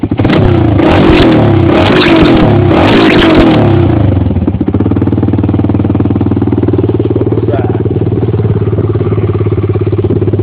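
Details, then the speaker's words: 1993 Honda 300EX ATV before rebuild, stock exhaust: sharp revs dropping to a loud, rough, fast-popping idle far too open for stock; muffler baffle blown out. "Stock exhaust. Baffle's blown out."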